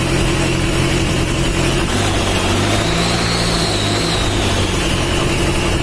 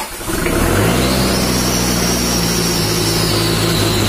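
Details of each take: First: Mitsubishi Strada Triton 4D56T turbo diesel, rebuilt after overheating damage, after the injection pump was adjusted and the oil leak fixed: a steady, even diesel clatter settles into a smooth idle with no knocks or misses, oil pressure up; running healthy. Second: Mitsubishi Strada Triton 4D56T turbo diesel, just rebuilt after overheating seized and scored the liners, first start: catches into a smooth muted idle lacking the usual diesel knock; too soft, white smoke, oil leaking at the oil flex hose; injection pump to be adjusted.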